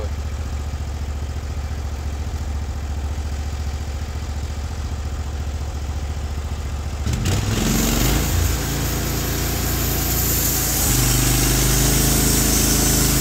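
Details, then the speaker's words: Norwood HD36v2 bandsaw mill with new roller guides replacing the ceramics, slabbing big black oak in 1.5-inch cuts: even engine drone settling as the blade enters the wood and holding speed under load; band sounds happy, normal cutting. "but it certainly wouldn't be happy this band right now sounds happy so let's take another inch and a half out of it"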